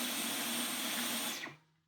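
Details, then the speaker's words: Dyson V12 Detect Slim Absolute cordless vacuum, clogged, pulsing and cutting out: a high rushing motor roar that winds down and dies within half a second; owner suspects a motor failure common to V12s, not fixed by cleaning the filter. "They run for a bit and then die, [sighs] which is a problem that I think affects these."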